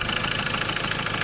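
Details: 2011–2014 Ford Ranger 2.2 XLT manual diesel at idle: rapid, harsh knocking pulses louder than normal clatter ride over the idle; the source of the knock is not yet known.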